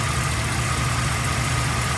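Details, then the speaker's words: 2008 Chevy Express V8 with 444,000 miles idling after a fresh oil change: a steady, even low rumble with no lifter ticking. Earlier noisy lifters were cured by adjusting the rockers and changing the oil every 2,000 miles, since motor flush did not work. "So you can see, got the truck running, nice, smooth, powerful, strong engine, and no leaks."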